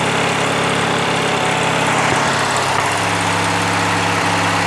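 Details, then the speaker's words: Craftsman LT1000 lawn tractor, Briggs opposed-twin 19.5 hp, after sitting all winter with bad gas and water in tank; fuel filter changed, tank drained, carburetor blown out, started with spray into carb: twin runs steadily at speed, even beat, no misses; runs fine. "and is that sound great or what so there we go we got it going"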